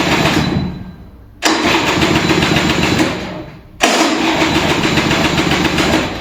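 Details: Vintage Kinetic Honda 2-stroke scooter, cold start early in the morning: two long cranking bursts fade as the starter struggles and the battery drains, with light throttle, weak ignition and no clean firing. Hard cold start; cause not confirmed.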